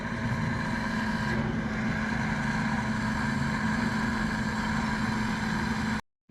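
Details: Central Boiler CL 6048 Classic outdoor wood boiler, water at 179°F, after a failed Taco 009 circulator pump was repaired: steady, even hum with a constant low drone and no knocks, surging or leaks; pump running normally.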